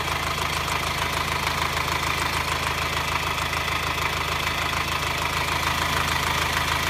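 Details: 2009 Subaru Forester diesel, hot engine at low rpm: fast, even metallic clatter about three per second over the idle, absent when cold, also during acceleration, worse in hot weather; car otherwise runs fine, source unknown to five mechanics.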